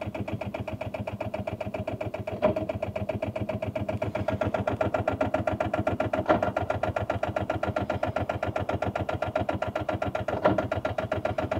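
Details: Rover 800 abandoned for 15 years, last attempt after being dragged to free engine; even starter churn about two and a half compression beats a second, never catches; smoke near turbo suggests owner it's trying to fire. Cranks, no start.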